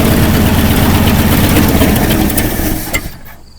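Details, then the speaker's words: 1979 Ford F350 tow truck, abandoned about 20 years: uneven rough running a few seconds that sags and stalls, like fuel starvation; owner suspects fuel pump not pumping or not primed. "I know sometimes it's just tough to get them primed you know might need a fuel pump might just need to fight with it to get her primed a little bit"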